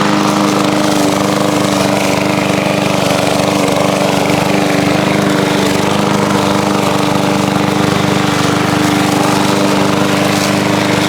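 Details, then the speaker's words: Revived single-cylinder push mower with fresh oil, primed and mowing grass outdoors in heat: a steady drone holding even speed under cutting load, with no misses, surging or knocking; it mowed well, running normally. "Well, I have to say that thing mowed pretty darn good."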